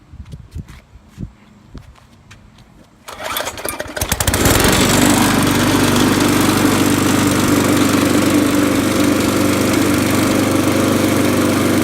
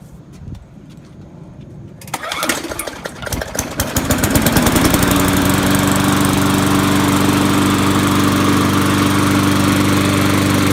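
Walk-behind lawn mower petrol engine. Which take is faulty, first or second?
first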